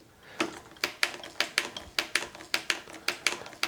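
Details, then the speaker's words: Focus road bike Shimano 11-speed STI rear shifter after clearing broken gear cable remnants from inside the lever: a dozen crisp, evenly spaced clicks, about three a second, stepping through all gears; clean, positive shifting. "You can hear that now. It's much more positive already. That's gone for its full range."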